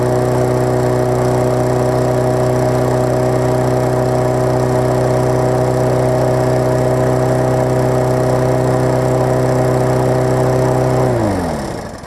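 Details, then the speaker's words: Craftsman 21-inch self-propelled mower after carb clean and muffler rebolted through redrilled holes: steady even single-cylinder putter at constant speed, no misses or knocks, winds down cleanly at shutoff; runs normally, a little smoke. "But for right now, I'll start it up and hopefully show y'all that it runs pretty good."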